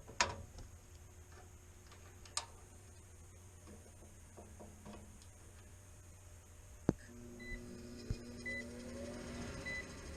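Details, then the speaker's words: No-heat gas furnace with the inducer motor not starting: a few sharp, irregular clicks with no motor spin-up after them; the tech suspects the inducer relay, which isn't passing voltage, then suspects a faulty connection. "Doesn't sound good, huh? I think the relay is bad. She went off an alarm. It's not pulling voltage. I think this is the relay for the inducer motor."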